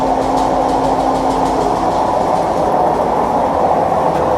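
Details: Maytag Neptune MAH19 washer ramping up to maximum spin with a loud, steady roaring rumble from bad drum bearings, made worse by the machine being unlevel; its feet are stuck.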